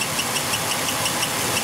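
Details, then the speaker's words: 2002 Ford Taurus idling with a cylinder 1 misfire (P0301) from a weak ignition coil: high, sharp chirps about six times a second from a worn cam sensor synchronizer (distributor) shaft squeaking. "again sorry about the squeaking in the video here that's that cam sensor synchronizer distributor shaft is worn"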